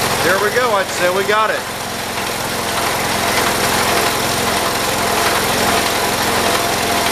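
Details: 1978 John Deere 208 garden tractor after head gasket replacement and carb adjustment, throttled up: steady, even idle with a constant low hum and no misses or stumbles; engine now runs healthy.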